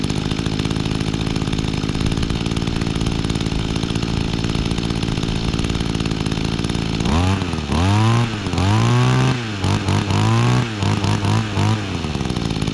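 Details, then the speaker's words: Mantis Mini Tiller, 21.2cc two-stroke on Echo Red Armor fuel, after priming, started easily and warming up: steady high idle buzz, then clean quick throttle blips up and down with no misfire; normal running. "All right. So that thing started easily. I am very impressed."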